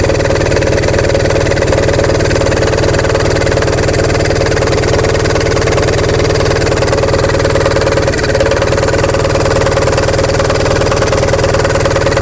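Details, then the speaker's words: Onan MDJE diesel generator idling after a warm-day start on a charged battery: even, steady low thumping with no misses or knocks; not yet at rated speed; runs smoothly. "Button away there. Doesn't sound too bad at all, does it?"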